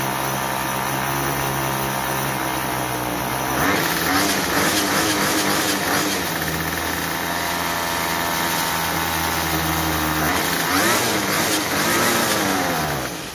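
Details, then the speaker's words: Troy-Bilt TB32EC two-stroke trimmer after carburetor idle adjustment: steady idle without head spinning, climbs smoothly on throttle and settles back without stalling; running right. "so that's pretty close we want our head to stop when we stop giving giving it the gas and then we want it to idle but not stall but not too fast"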